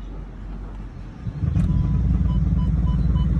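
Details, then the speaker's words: 2008 Audi Q7 that won't move in gear after shifting out of park. A heavy, low, pulsing drone starts near the transmission when shifted into reverse or drive and quiets in neutral. The transmission is suspected of not engaging. "so here's the noise when i switch it from part to to reverse and neutral and drive"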